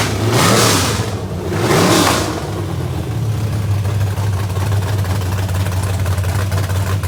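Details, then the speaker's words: Small block Chevy, 700 hp, in a 1988 NASCAR Winston Cup Buick, first run in many years after four months' work, open headers; two sharp throttle blips then loud, deep, choppy idle settling even: normal, healthy running. "trying to get to the point where we could hear this small block chevrolet makes a sweet music and it did i am so relieved of the motors not been run in many years"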